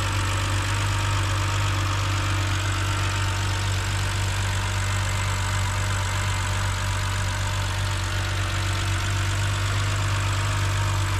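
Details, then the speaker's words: BMW E70 X5 30i M Sport, N52K inline-six, idling with the serpentine belt removed: a thin constant high-pitched whine persists over the engine, ruling out the suspected alternator bearing and the steering pump; source still unknown. "all right it appears it appears that the wine is still there so looks like it is not the alternator"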